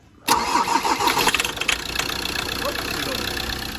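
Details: Ford Transit diesel engine running on the ground: starter cranks briefly, catches and settles into a steady even diesel idle once the fuel system was bled; no leaks found. Normal start.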